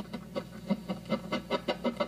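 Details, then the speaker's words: Electric guitar control cavity: scratchy crackles about six per second as the knurled thumb wheel turns against wires resting on it, mimicking a scratchy pot; triboelectric noise, cured by routing the wires away from the wheel. "Um if I just move them and rub them, you can hear the noise. So in this case, um these wires just ended up against this thumb wheel."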